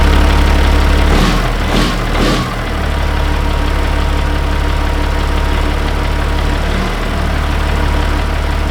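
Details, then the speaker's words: Peterbilt 379 diesel after fitting a new fuel shutoff solenoid: it cranks and catches within a couple of seconds, then settles into a steady, even idle with a deep rumble and no misses. Normal start and idle. "yeah we're in business now now let's fix some of these leaks"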